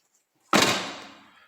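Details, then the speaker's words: New Chevrolet Onix LT, driver's door, never crashed: slammed shut with the window down, a sharp glassy rattle rings for about a second as the glass strikes the speaker, which is missing its spacer. "tá dando um barulho estranho né Na hora que que fecha a porta tá vendo ó é um barulho que dá galera só quando o vidro tá baixo"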